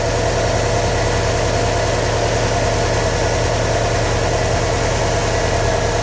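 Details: 2015 Subaru WRX STI flat-four idling during engine knock troubleshooting: uneven tapping about three per second over the burble; knock, source not yet clear.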